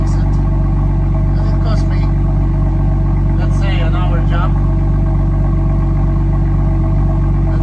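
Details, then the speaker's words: BMW F-series exhaust after fixing a rattling exhaust and refitting its plug: deep, steady idle rumble with no tinny buzzing or rattle, normal exhaust. "Okay, now my exhaust is fixed. We're gonna check it."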